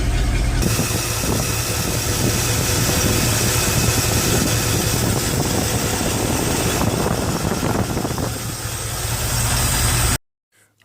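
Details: Chevrolet 454 carbureted V8 idling once fixed: blocked air filter, air getting into fuel line from tank; deep even rumble, steady firing, no misses, stumbles or hunting; normal idle.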